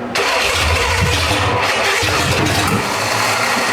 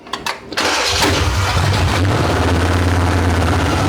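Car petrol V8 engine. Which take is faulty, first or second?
first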